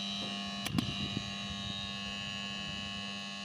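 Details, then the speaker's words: Sharp two-door refrigerator, not cooling, compressor powered with clamp ammeter reading 4.5 A, very high: steady stalled hum with no run-up or pulsing, switched off quickly; compressor seized, locked rotor. "4,5 amp ya. Ini tinggi sekali. Saya matikan dulu. Jadi tegangan yang terbaca 4 amp. Nah, jadi benar saja ini kompresor sudah mengalami macet."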